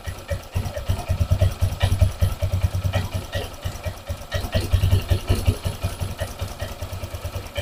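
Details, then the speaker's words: Honda Vario 150 injected scooter, high fuel use and fouled plugs, idling after swapping the original injector back: idle surges and sags unevenly; injector not the cause, the throttle position sensor reading open at closed throttle upsets the mixture. "ya teman-teman untuk injektor ini yang orinya sama yang gantian motornya tetap seperti ini pasti boros ya rangsamnya tidak stabil"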